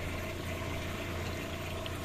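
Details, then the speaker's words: Water pump on a camper's fresh-water system starts up after a frozen line was thawed, runs smoothly with a steady hum and even water flow, then cuts off normally; no leaks and no pressure drop. "la pompe à eau se met bien en route nickel on attend tac se coupe pas de fuite pas de chute de pression"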